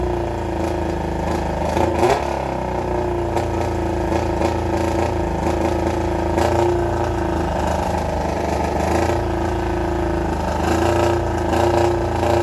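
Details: 1995 ZX7 revived after water got into the engine and was flushed with transmission fluid, running with the muffler removed: uneven, lumpy idle with a loose clattery note and irregular stumbles. Rough running, likely untuned carbs.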